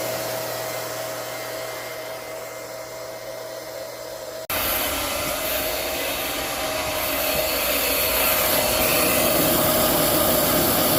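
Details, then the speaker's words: Liberty Model 331 pump after repair, shaft and centrifugal impeller reinstalled: low steady hum, then even rush of pumping water once primed, no grinding or rattle; much quieter than before, healthy. "It's not primed, but we'll just see how quiet it is now compared to the other videos. Much quieter."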